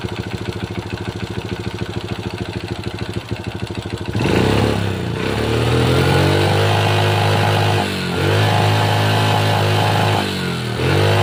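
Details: Honda Supra Pit New (2000s model) single-cylinder four-stroke after timing chain replacement, cover refitted, fresh oil: cranks a few seconds, fires, idles evenly, takes blips cleanly, no chain rattle; mechanic still suspects piston and crankshaft bearing wear. Normal idle.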